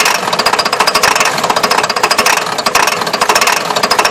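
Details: Ford 7.3 diesel: starter cranks steadily at about six beats a second for the whole stretch and the engine never fires. Hard start, long cranking.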